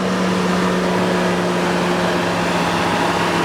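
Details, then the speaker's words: 2017 Chevy Tahoe SSV 4x4, ex-highway patrol, 5.3L V8, 129,000 miles, fully serviced with new AC Delco iridium plugs and wires. A steady, even idle under a cooling fan whoosh with no knocks or misses; a healthy idle. "The fan is working, doing its job as it should. This is the famous 5.3 liter engine."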